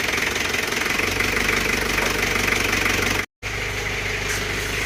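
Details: Isuzu Panther 2.3 diesel right after rebuild for blow-by and smoke (broken piston replaced, new rings): clatter settles into steady, even idle with no misfire or stumble; engine sounds healthy.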